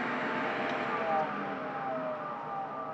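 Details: 10-year-old IQAir air purifier just switched off: steady fan rush winding down with faint intermittent squeaky whines on top, worsening over weeks; owner suspects the fan motor is wearing out.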